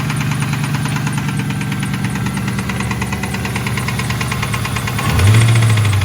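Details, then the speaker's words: Ford Mustang idling after reinstalling a junkyard intake with a K&N filter, after it had been skipping. A steady, even low rumble with no skips, then a clean rev rise; running good again. "All right, well, running good again."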